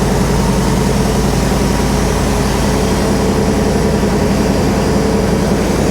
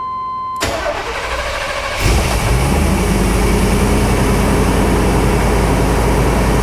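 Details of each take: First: Classic automatic car that sat for years, first start after its fuel system was flushed of old gasoline; steady low V8 idle with a faint, even light tap about three or four a second; belts not squealing; source of the idle tap not found. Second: Classic V8 automatic that sat for years, started after a fuel system flush: short crank, catches fast and settles into a steady even idle with only a minor vibration at start and a slight tap, no belt squeal; normal start and idle.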